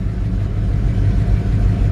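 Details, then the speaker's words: Warm idle of a 1984 Chevrolet K5 Blazer Silverado V8, just before the AC is switched on: steady, even low burble with no misses, knocks or ticks. Idle sometimes doesn't come down when warm, but here it runs perfectly. "right now it sounds like to me is running perfectly"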